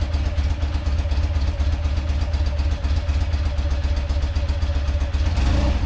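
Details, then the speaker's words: Rare motorcycle (1 of 286) on its first run after purchase, on full choke after fuel flow to the carb was restored and the float bowl refitted. Low, even boxer-twin idle with smooth light throttle blips, no misses or clatter; running well. "let's throw this bowl back on try again a full choke that sounds much better oh yeah"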